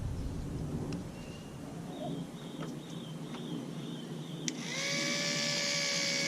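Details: 2014 Mercury 115 hp four-stroke outboard with a no-start, high-pressure fuel pump bench-tested off the engine on direct battery power: clicks and handling, then a steady high electric whine, spinning freely without strain but pumping no fuel (dry); the high-pressure pump works.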